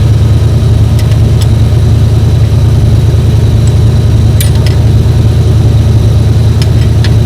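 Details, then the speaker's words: 7.3 IDI diesel one-ton truck, thought unrun for eight years, bleeding fuel lines: heavy cranking with low steady churn and uneven popping two or three times a second; popping back, doesn't sound right, cause unclear. "It's definitely got like a popping back on something. It doesn't sound quite right."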